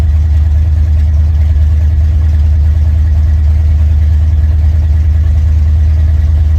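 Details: Mildly built 351 Windsor V8 (possibly a small cam, roller rockers, gear-drive timing) in 1980 Ford F-150: loud steady rumble with even lope, no misses; good oil pressure, healthy idle.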